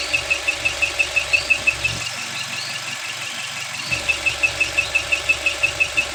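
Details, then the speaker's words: Dual VVT-i engine rebuilt after thick white exhaust smoke, squeaking after reassembly: sharp high chirps about three per second over quiet idle, briefly dropping out, like a mouse pinched inside, unlike injector ticking; scored camshaft squeak. "dari video yang kita share itu pertama yang jelas adalah suara ee cit cit cit cit cit cit kayak tikus kejepit di dalam mesin. Ee yang tikus kejepit itu harusnya tidak ada, Teman-teman."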